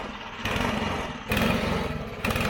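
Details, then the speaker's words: Old push snowblower, about 20 years old, just repaired and started; small engine chugs in rapid firing bursts rising and falling slightly, keeps running on its own. "What? You got it running? It runs. We bought this, what, 20 years ago? Yeah. It's definitely old."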